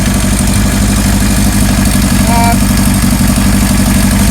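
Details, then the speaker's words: 1977 Kawasaki KZ1000A engine, just fired up: steady idle with light ticking chatter from cam chain slack, possibly worn idler rubbers; no smoke. "The cam chain's making some noise. May need some new rubbers or something."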